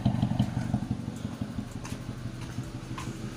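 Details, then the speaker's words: Honda Civic Wonder after swapping to a Toyota Kijang carburetor, just started: steady, even idle with soft regular pulse, no miss or hunting; carburetor holding a clean idle, unlike the old one that couldn't idle. "Hai nah disini kalian lihat idealnya enak banget"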